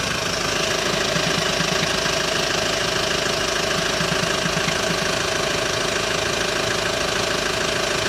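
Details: Hyundai ix35 diesel, cold engine warming up at idle: sharp knock above normal clatter, roughly three a second; appears only when cold, disappears after warm-up, dealer could not find cause.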